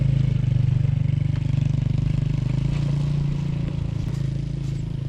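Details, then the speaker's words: Kids' ATV after shortening and lubing the drive chain: small engine runs steadily at low speed with even low putter; chain rattle much reduced versus before repair. "i don't really hear the chain rattling as much as i did before and uh we got it all good and lubed up"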